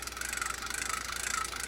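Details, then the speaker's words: Zebco Z20 vintage spinning reel after service and drag check: handle spins with an even light whirr and soft regular ticking, no grinding; turns freely and smoothly. "turnning nice and free and easy let's lock in our bail bail fir is nice and easy this one's ready to go fishing again"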